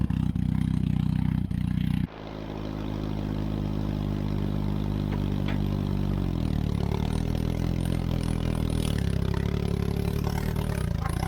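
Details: Turner Ranger tractor, 1098cc A-series Mini engine, after adjusting timing and leaning the mixture with the vacuum advance reconnected, running half an exhaust: steady, smooth four-cylinder drone with no misfire; runs very sweet.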